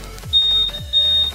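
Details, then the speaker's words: 2021 Honda Scoopy smart key answer-back buzzer after pattern setting: shrill high buzzer in two drawn-out beeps, the normal "tit tit long" second pattern. "yang kedua kayak gitu ya, tit tit panjang. Yang ketiga, yang ketiga kayak gitu guys, tit tit 2 kali."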